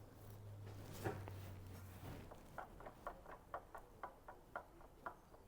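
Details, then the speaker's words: 2012 Mk6 Golf 2.0 TDI with a vibration/wobble under acceleration: light clunks about twice a second as the drive shaft is rocked by hand while the gearbox drive flange stays still. Free play in a worn inner CV joint. "The CV boot itself is the CV joint where it bolts to the diff isn't moving at all, but the drive shaft is turning."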